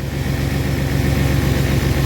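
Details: 1997 Chevy Astro parked for three years, now started easily, running at a steady, even idle with a smooth regular beat and no knocks, misses or squeals; brake fluid leaking onto the hot exhaust smokes. Normal idle.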